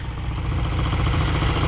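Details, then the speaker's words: 1968 Triumph Bonneville 650 twin cafe racer, riding after shifting through second and third: short burst of a deep, even parallel-twin beat pulling steadily with no misfires or rattles; healthy running. "But that sound, it feels great. It sounds great, feels great."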